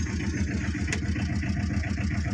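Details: 2012 Tata Ace diesel, two owners, with radiator and oil serviced and the engine in very good condition: steady, even clatter at a low idle with regular firing pulses and no knocks or misses; healthy.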